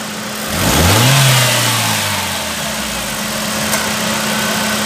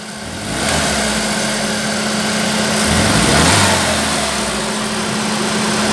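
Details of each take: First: 2009 Chevrolet Prisma 1.4 flex that misfired under quick acceleration, after repair: clean rev rising smoothly then settling to a steady idle, no stumbles or pops; acceleration misfire gone. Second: 2008/2009 Chevrolet Prisma 1.4 flex: engine revs up rough and uneven under quick throttle, checked with an exhaust probe; misfire on fast acceleration, not at steady revs, traced to a worn spark plug.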